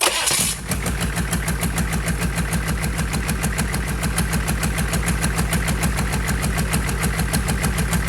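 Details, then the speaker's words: Rebuilt GEP/Navistar 6.5 diesel, Stanadyne DB2831-4911 pump, restarted warm (180-190°) without glow plugs, run at full throttle: fast, even clatter, steady firing, no knocks; rpm stops rising when fuel runs out; healthy. "All right, guys. That was full throttle. Pretty much every time I've been raising the throttle, it's full throttle. You can tell when it starts running out of fuel, the RPM stop going up."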